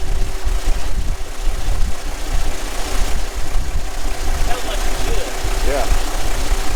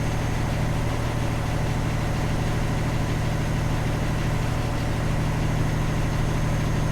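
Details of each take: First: Kenworth T800 log truck diesel idling rough and uneven with sharp pops back through the intake; the mechanic thinks it may be popping all across, cause not pinned down. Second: Sick Kenworth T800 log truck, diesel, after suspected ECM fault, warming toward operating temperature at 160: even, steady idle with a smooth low beat, no misses so far before heading onto the interstate.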